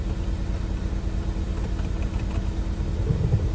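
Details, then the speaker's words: Freshly swapped 1.9 TDI PD130 ASZ engine in 2008 VW Caddy, first run with hood off, warming up: low even diesel clatter at steady idle, no knocks or misses, running smooth; normal idle. "so far so good sounds good it's running good running smooth"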